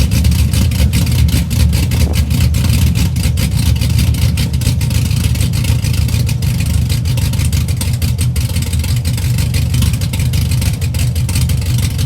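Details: 2004 Chevy Silverado stock 5.3L LS V8, first cold start after cam and springs swap (218/227 duration, .526/.524 lift, 109/115 LSA), accessories unhooked, weak battery: deep choppy lope at steady idle with blips, strong even firing; runs healthy.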